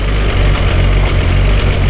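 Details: 1999 Nissan Skyline R34 GT-R, T88 big single turbo and modified internals, twin-plate clutch with Getrag gearbox: loud, lumpy idle with uneven chunky rattle underneath, clutch out; twin-plate clutch rattle, owner unsure whether normal or a fault.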